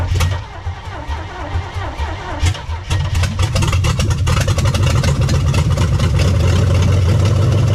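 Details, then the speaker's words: 1975 Chevy Nova V8, sat 35 years, fuel poured down the carburetor: several cranking stumbles, then it catches into a steady deep rumble and keeps running, no bad noises; idles high from uncapped vacuum leaks. "But she runs. She runs. She runs really good too, not making any noise."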